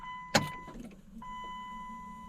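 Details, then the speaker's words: 1999 Dodge Cummins diesel, sat about a week, key on during preheat check: one sharp relay clack over steady dash chime; grid heater relays pull in, about 10 V reaches heating element, then click off after heat cycle; working normally. "we get battery voltage right to the heating element right now so it's showing like 10 volts but that's accurate with the draw of these heating elements and then you'll see it click off and the voltage will go away after it goes through its heat cycle"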